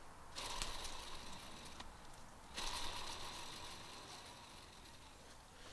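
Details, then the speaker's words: Rear driveshaft removed from 2015 Jeep Cherokee KL, spun by hand: front carrier bearing gives light dry rushing sound with faint gritty edge, a little noisy, mildly worn; shaft had been howling for a long time. "this front bearing is not quite as bad it's a little noisy not terrible"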